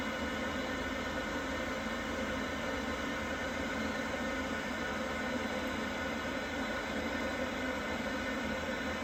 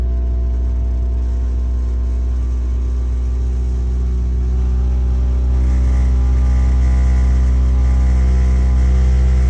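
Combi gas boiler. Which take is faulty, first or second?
second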